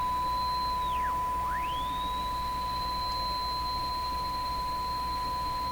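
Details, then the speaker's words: Hallicrafters TW2000 shortwave radio tuned across a weak station: a steady high whistle sweeps down and back up. Heterodyne beat, which the owner suspects comes from the 455 IF self-oscillating and beating with the mixer products. "what's with that heterodyne tone that's swinging in and out here"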